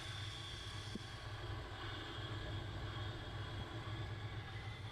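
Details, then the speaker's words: 1970 GMC 1-ton after points adjusted to cure no-start: quiet even idle with steady high-pitched whine that doesn't change; owner suspects alternator. "Okay. Well, I think it's good it runs. You got to hear that alternator?"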